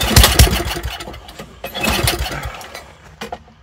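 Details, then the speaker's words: Old Toro snowblower that sat unused for over a year, pull-started in cold weather: catches in short ragged bursts and dies straight away; fuel pours out of the carburettor float bowl, so it needs a bowl gasket and rebuild kit. "Drawing for a second and dying. Definitely that carburetor giving us a fit."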